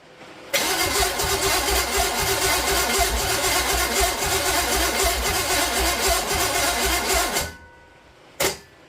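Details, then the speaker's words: Small-block Chevy 350 for a 1959 El Camino, coil re-hooked and a vacuum leak noticed: it barks once at first, then strong, even cranking at about two turns a second for about seven seconds with no firing. Crank, no start. "she really barked off right at first like she does every time and then nothing come on"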